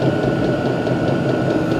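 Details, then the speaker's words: Vevor 12 V 8 kW diesel air heater on highest setting, output air around 70°, producing warm air: steady even whir, faint constant tone, soft regular puffing; normal running, described as not very loud. "gut so ich hoffe ihr könnt es jetzt h also das Ding läuft richtig gut ist nicht so laut"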